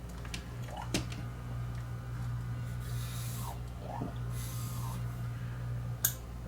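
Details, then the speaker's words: Mid-1970s Grundig TK747 reel-to-reel that was stuck at 1 7/8 ips regardless of speed setting, powered after reworking the capstan motor: even, low motor hum at steady pitch, sounding much better. "a little better already yes much better sounding already"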